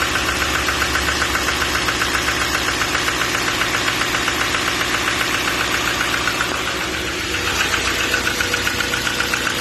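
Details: 2014 6.6 Duramax diesel at idle: sharp regular knock about two and a half times per second over steady diesel idle; engine knock.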